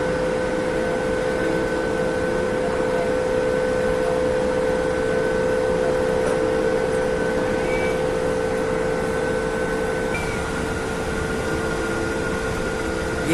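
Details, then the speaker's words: Rotary soot blower after the motor was refitted, fan coupling tightened and shaft turning: steady, even mid-pitched hum with no knocks or grinding; blower motor and gear running smoothly. "ತಿರ್ಗಾಕತ್ತೈತಿ. Fan ಕಪ್ನು ಎಲ್ಲ tight ಮಾಡ್ಕೊಂಡಿವಿ. ಶಾಪ್ನು ತಿರ್ಗಾಕತ್ತೈತಿ."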